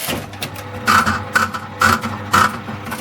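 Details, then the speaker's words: 1979 Aristocrat Esprit 4-reel slot machine in for repair, globe replaced: a 20-cent coin drops, then crisp relay clacks with a short ringing tone about every half second as it enables play; normal coin acceptance. "See, as soon as you put the coin in, it goes now, play now, okay?"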